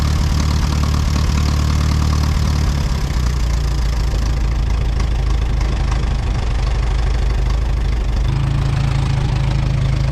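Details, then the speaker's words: Ford 8N tractor on battery and jumper pack, oil checked, first start attempt: deep, uneven lumpy idle shifting pitch, seems to miss on one cylinder, later clearing, likely moisture fouling one plug; rough running. "it sounds like it might be missing on one cylinder"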